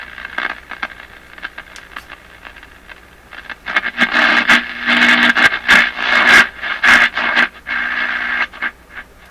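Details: Crosley 43FB battery tube farm radio, first power-up after 50 years, tuned by hand because the dial string does not work: hiss and bursts of stations swell and fade as the dial sweeps. The set receives properly.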